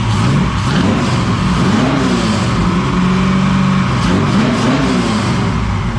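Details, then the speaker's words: 1969 Camaro restomod, 496 big block first started in the car with new exhaust: deep, even V8 burble with smooth throttle blips, no knocks or ticks; normal running. "sounds really really good there you go guys it's alive it's making noise it sounds amazing sounds really good i'm very happy with it so far"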